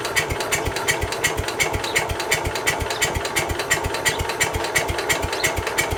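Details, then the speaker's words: Case 222 lawn garden tractor, sat about four years, new battery, choke on, half throttle: steady starter chug about three beats a second, never firing; cranks but won't start, cause unconfirmed, starting fluid next. "Before we kill the battery completely, let's start put some starting fluid in it, see if that changes her mind at all."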